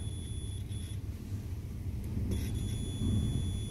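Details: Clothes iron repair: multimeter continuity tone sounds, drops out, then returns and holds, showing continuity through the newly replaced 240°C/250 V thermal fuse after the old one was found blown.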